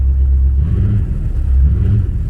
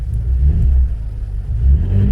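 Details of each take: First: Engine with Dinan coils and fresh plugs: lumpy, uneven idle with a loping beat like a big-cam engine, "like an old school Chevy"; one cylinder dropping out, injector suspected. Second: Engine idling after installing Dinan coils and fresh spark plugs, noticeably smoother with a deep even rumble and no stumble or ticking; owner still suspects fuel injectors need replacing.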